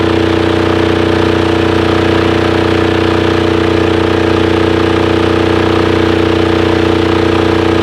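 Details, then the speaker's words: Titan 7500 W diesel generator, revived non-runner, started with compression release and weak jump box: very even steady drone with constant hum and no knocks or misses; running healthy. "i had to use the compression release because man it hit hard that could be because our jumper box isn't that great man that sounded good"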